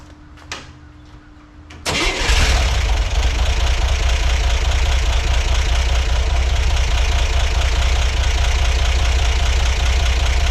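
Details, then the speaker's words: 1963 Corvair, first engine start: cranks and catches, then a loud steady idle around 600 rpm with a faint irregular tick underneath; unidentified noise of unclear source, possibly the rockers. "okay it's getting smoky in here but it does run I I feel like I might be hearing something not quite sure yet"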